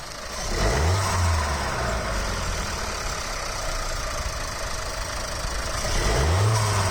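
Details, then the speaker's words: 1.5 TSI turbo petrol, cold engine, stock apart from ram air intake pipe and panel filter, before Forge blow-off valve install: two throttle blips to about 2,500 rpm rising and falling cleanly, faint turbo flutter on lift-off. "i'm just going to give you a listen of what this sounds like stock it's a cold engine"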